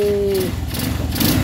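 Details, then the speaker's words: Rusi SSX 200 that wouldn't start, tested after reinstalling the spark plug cap: the single catches and settles into a steady, light idle with no stumbling. Now starts and runs normally. "paano ba 'yan mga bro? Umandar na. Basic na basic lang mga bro."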